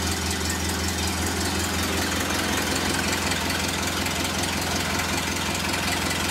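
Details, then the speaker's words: Ford Model A flathead four, stored since 1975, just restarted: even unhurried idle, steady low throb, no misses or knocks; runs smooth. "oh and it's so smooth like every flathead you see"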